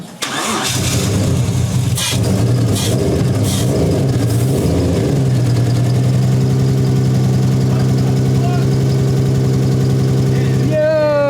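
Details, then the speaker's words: 1JZ-swapped Nissan S13 240SX at first start after wiring fixes: starter cranks, engine catches and settles into a lumpy, uneven, stumbling idle; still misfiring. "It is missing, but this thing's gonna sound fucking wild."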